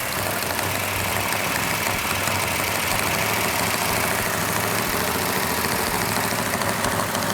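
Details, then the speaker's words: Fresh 440-6 V8 in a 1970 Cuda with a Comp Cams Mutha Thumper cam, on initial startup: loud steady fast-idle roar with light valvetrain chatter, normal for a new engine; RPM held up for cam break-in. "got a little bit noisy valve train which is normal on a new engine we going to hold the RPM up so the cam can break"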